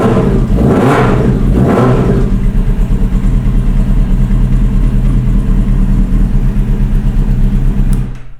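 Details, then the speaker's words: Honda Hornet motorcycle, cold start in garage during a build, then uneven lumpy idle stumbling about three times a second, smoke clearing from exhaust; misfiring and rough idle, owner thinks idle adjustment needs tweaking. "so as you can hear it is misfiring it's idling kind of rough I just think I just need to tweak the idle thing a little bit"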